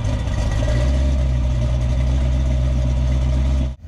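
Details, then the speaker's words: 1950 GMC truck on 1987 S15 chassis with 630 hp LS7, 4L80E transmission, Holley Terminator X, after new MAP sensor fitted: deep even idle rumble with steady pulse and no misses. "the Holly Terminator X once the engine sees 160 to it'll start self-tuning so I'm going to let it sit here I'm going let it warm up do its thing"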